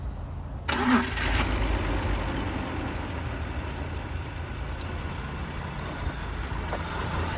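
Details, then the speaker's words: BMW E46 with M54 engine that idled poorly and died on throttle, codes P0300, P1343, P1345, P1347, P0444, P0102, P0313, after first replacement idle air control valve: starts a little better but settles into uneven lumpy idle; rough idle persists. "it sounds like it's running the same it started a little better though"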